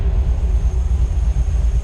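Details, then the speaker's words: 1955 Chevy V8 rebuilt with stock parts, idling right after cam break-in, with a 180 thermostat. A deep, even rumble with steady exhaust thumps and no knocking or ticking, sounding as it should; the alternator is suspected of failing. "Now that's the way they're supposed to sound."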